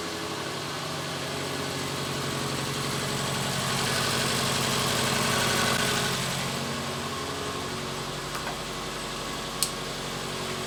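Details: Subaru with about 15 years and almost 200,000 miles, idling after fuel injector and O-ring work, intake tube left open to check for leaks; steady, even idle with clear hiss and whoosh from the open intake, no misfire or stumble; normal idle.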